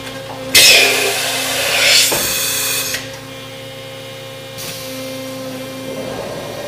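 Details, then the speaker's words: 1997 Mazak Integrex 50-Y turning and milling center (T-Plus control, CAT 50, 24" chuck) running a live-tool peck drilling cycle with the chuck oriented and locked; spindle hum with short bursts of cutting as the drill pecks in and backs out, a normal cycle. "This is a peck drilling cycle that's drilling"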